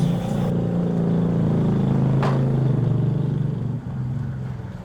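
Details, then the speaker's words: Honda Revo Fit, heavily smoking, topped up with oil without draining; oil spray fouled the carburettor breather/air box; at full throttle the note sags with a labouring drone instead of climbing; choked intake makes the bike bog. "Melihat kondisi motor seperti ini, saya rasa motor yang berasap atau belum dikorter itu bukan alasan kenapa motor ini digas mentok pun enggak bisa naik gasnya. Ibaratnya hanya ngeden doang."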